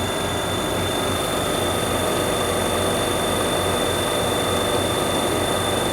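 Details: Prestcold 1/2 HP compressor on a 90-gallon Fullwood milk tank after a no-start: constant even hum with faint steady whine, no clicking; suspected start-relay contact (cleaned) or bad wiring, 40+ year old capacitor wires replaced, running fine since.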